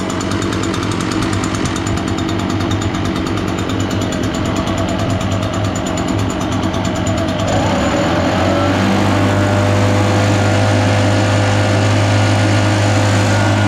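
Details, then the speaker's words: Echo PB-580T backpack blower, sat for years, cold, choked and purged, kill wire unhooked: two-stroke buzzes steadily and keeps running while warming up, showing a short somewhere in the kill wire, feared inside the handle. "When I plug in wires back in, if it kills it, that'll tell us too that it's a short in that wire somewhere. Yep, we got a short somewhere in that kill wire."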